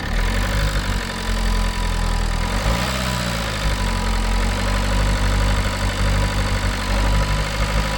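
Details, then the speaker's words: Renault Clio IV 1.5 dCi after a timing belt job, valve cover, EGR cleaning, engine flush, DPF additive and fuel filter change, old oil with flush drained: steady idle with one brief rev while fuel filter was primed, then an even, quiet beat as it should be. "Jeszcze mamy tak zrzuconą płukankę już z ze starym olejem, ale sami powiedzcie, czy silnikowo nie chodzi teraz ładnie, równo, cichutko, prawda? Jak prawdziwe 1.5 >> teraz chodzi tak, jak powinno chodzić 1.5."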